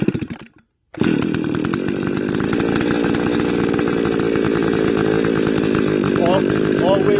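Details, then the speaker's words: STIHL FS280 brush cutter (same as FS160/FS220/FS290), started on choke and then choke opened before pull-starting again: engine catches and settles into an even, steady high buzz at fast idle, warming up; normal idle after cold start. "allow the engine to warm up before operating this cutter"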